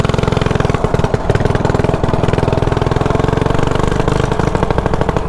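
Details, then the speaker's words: Mini bike single-cylinder with oversized 180 main jet: fast, choppy, loaded blubbery beat, running rich as too much gas floods the carburetor, which leaks fuel; cannot run full throttle. "I can take off now ride it but it's just going to sound just like this too much gas getting into the carburetor"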